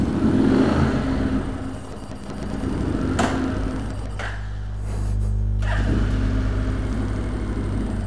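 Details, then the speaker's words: Motorcycle run after about 3 L of diesel was added to its petrol and it stood 4 hours; engine sags and nearly dies, then revs catch it into a lumpy run; near-stall from diesel-contaminated fuel, runs worse when cold. "let's see how it runs on diesel in gasoline seems to be okay cool whoops wait wait no don't die no no no stay alive stay stay with me"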